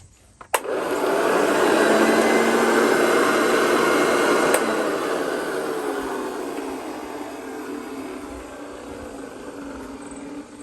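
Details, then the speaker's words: Old Hoover Junior Dirt Searcher model 1354A upright vacuum, run on a 110-to-220 V converter: clean, even motor hum after the switch click, smooth without rattles or grinding; normal running. "sounds healthy to me anyway"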